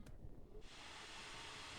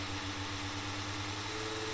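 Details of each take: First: HP Pavilion dv6 laptop cooling fan after rewiring as a PWM fan to cure loud buzzing: spins up to a smooth, even airy hiss with no grinding or ticking; repair successful. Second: Old HP Pavilion DV6 laptop cooling fan, uncleaned for 12 years and clogged with dust, run off a 5-volt charger, gives a steady coarse buzz and crackle over its airflow hiss, likened to a diesel engine.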